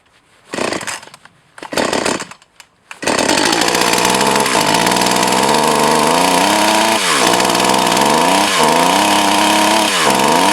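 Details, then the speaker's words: Echo CS 4500 chainsaw, long stored, carb rebuilt. Screams at high revs, then pitch sags sharply every couple of seconds and recovers: bogging down; owner plans to readjust the carb high/low screws, cause unconfirmed. "all right ah the chainsaw is bugging down"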